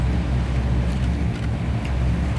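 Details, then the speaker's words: 1962 Impala restomod, rebuilt 454 4-barrel 410 hp big-block V8, headers, dual exhaust: smooth even burble at steady 960 rpm idle, no knocks, ticks or misses; oil pressure 85 psi, temperature 98, 14.4 volts; healthy. "That sound is awesome. Oil pressure is 85 pounds at an idle, and temperature gauge is working too."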